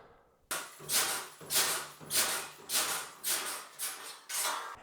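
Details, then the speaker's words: A harsh, bright squeak with every bounce on a mini trampoline (rebounder), from dry metal springs where they attach to the frame and mat; fixed by brushing on Ballistol oil at the attachment points and both sides of springs. "it's kind of noisy I want to fix that and this is the what the video is about how to make your trampoline Le less noisy"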